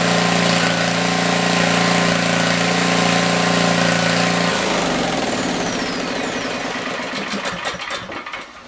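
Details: Tecumseh 4,000 W generator, 8 hp engine, after speed adjusted, light drill load; steady drone with fan whoosh, holding speed evenly before winding down. Normal running under load, adequate power.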